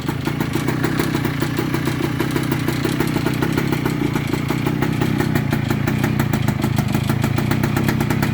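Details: 1998 Kawasaki KE100 cold start after sitting several days, everything cold; rapid, even ticking rattle from the cylinder over a steady cold idle, owner unsure of cause.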